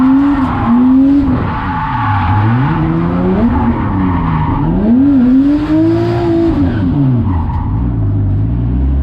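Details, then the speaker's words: RB25DET-powered Nissan S14 drifting: engine note swoops with hard revving and tire squeal and a brief stumble under load, sounding like fuel surge; boost gauge showed over one bar, owner suspects a vacuum line came off causing overboost. "i don't know if you guys heard that that sounds like fuel surge but i noticed on the boost gauge that it hit over one bar which means it's over boosting"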